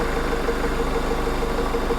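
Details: 2006 Jeep 2.8 CRDi diesel with a charging problem, started while alternator temperature and charge current are monitored: steady, even idle with light regular clatter, no misses or knocks; engine running healthy.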